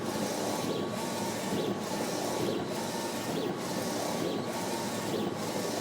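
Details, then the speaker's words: Ricoma REVEL DTF-2402 DTF printer laying white ink on a test print with 0.1 mm choke: even carriage passes about every 0.9 s under a steady hum, no knocking or grinding. Normal printing. "I can see it's laying down that white ink on those lines and I can see it's right where it needs to be with that 0.1 mm choke"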